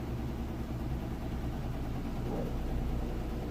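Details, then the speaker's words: 4-year-old Samsung HE top-load washer on final spin, heavy-duty cycle, heavy jeans-and-towel load; steady smooth high-speed spin, low hum, no knocking or scraping. Normal spin cycle. "If you can hear it there, it's spinning nice and fast. Nice smooth operation. Sounds great."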